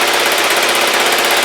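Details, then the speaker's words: Kawasaki GPZ500S twin warming up after new plugs: fast, even popping idle with no misses or knocks, running sweetly; owner suspects the plug was the whole problem. "yeah it's um it's running just sweet lovely maybe it was just the plug that's all it was"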